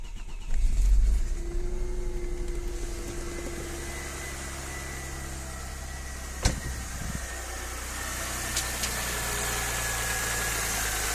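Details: Audi 100 C4 2.6 engine catches and settles into idle with a light, fairly regular tapping, about four per second; owner asks what is knocking, source unknown.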